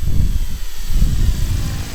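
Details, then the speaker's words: Durafly Auto-G2 V2 RC gyrocopter (821mm, electric, auto-start rotor) in flight during a high banked turn, wheel axle still vibrating and needing lubrication; deep rhythmic whump from the rotor as it swings through the bank, ordinary blade slap for this gyro. "oh you hear that nice yeah if you do any banked High Bank term it will make that blade part sound as I call it"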